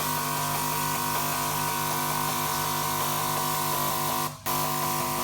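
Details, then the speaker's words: Key Technology VitiSort sorter cycling through all 128 ejector valves: rapid regular clicking with a clear gap where valves 97 and 98 stay silent, not firing; next check the valve driver board. "So there we see valve 97 is not functioning. 96 is working. 97 is not 98 is not working."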